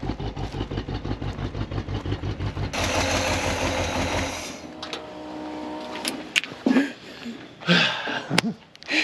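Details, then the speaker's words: 1968 Pontiac Grand Prix big-block V8, off the road for years: uneven, lumpy idle with a stumbling beat after crank and catch, missing on some cylinders. "we need to check that timing that thing's running rough"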